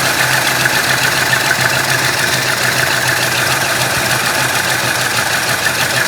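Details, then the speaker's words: Stock 390 FE big-block V8 in a 1966 Ford Country Sedan, rebuilt with performance cam and used heads, held slightly above idle; loud, soft, sluggish, slightly uneven beat; owner suspects retarded ignition timing, smoothed when revved. "Kind of sounds like it could be a little lazy on the timing. I don't know. So let's check timing, because it will actually run, and once I revved it up, it smoothed out a lot."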